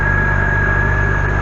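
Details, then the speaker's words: 2004-2010 BMW 5 Series after upper radiator hose replacement, started with heater on to check leaks: steady even low idle with faint constant high blower hum, no misses or knocks; normal idle. "So let me go ahead and start the vehicle. So now that it's started, again, it's the heater still on."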